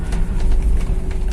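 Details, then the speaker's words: Toyota All New Avanza/Xenia driving over a badly damaged road after the rattling electric power steering was fixed with an O-ring on the bearing: only tyre and road rumble, no clunks or vibration from the column; steering quiet and sound. "setelah diakalin tadi pakai oring bearing nya sekarang suaranya Enak enggak ada getaran sama sekali padahal jalannya jalan di depan itu cukup rusak ya Selatan rusak tapi sekarang nggak ada suara sama sekali"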